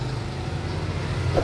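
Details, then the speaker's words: Household electric water pump with rusted bearing from mechanical seal leakage, before bearing and seal replacement; steady low rough drone with a slightly grating edge, loud enough to disturb neighbors; water pump bearing noise. "At saka, pag nagpapaandar ako ng makina, nakakaya sa aking kapitbahay. Yan, nakakaya ang ingay niya, no? Nagpapaandar ka lang ng water pump, pero nakaka-istorbo ka na sa kapitbahay mo."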